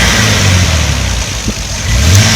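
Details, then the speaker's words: Toyota Supra 2JZ with Aristo swap, new fuel pressure regulator at 42 psi and 12-volt fuel pump mod undone, idling with some smoke; sluggish, stumbling exhaust struggling to stay running, plus an older clicking; misfire ultimately caused by the faulty main engine ECU. "It's like it's sluggish. You can hear it's like struggling to stay on. The exhaust is like shaking."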